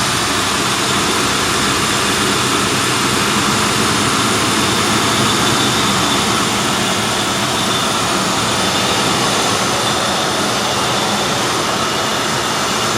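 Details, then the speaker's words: 1995 Ford Crown Victoria LX V8, under 12,000 miles, still cold after start: steady even hum with no knocks, ticks or misses, smooth fan-like hiss on top; normal cold idle. "And the engine's still kind of cold, but you can see right here just how quiet it is."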